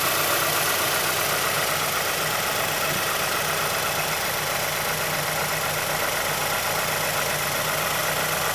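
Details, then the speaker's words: 2006 Mazdaspeed6 idling a minute after a cold start, under Special Service Program 87. A more pronounced light tick of about four per second comes from the timing chain area inside the engine bay. A VVT or chain fault is suspected but not confirmed. "Be difficult to hear over the engine noise, but there's a pronounced click coming from the timing chain area."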